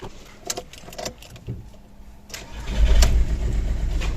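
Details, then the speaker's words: Ford Galaxy 1.9 diesel with a weak battery at 11.4 V, boosted to 14 V with a jump-starter booster: a few slow, labored starter turns with clicks, then the engine catches and settles into a firm idle; hard starting from weak battery. "є двигун запустився 14 в генератор важко без бустера Отже цей запуск також був не з легких тому що по-перше дизель по-друге живий але висаджений акумулятор"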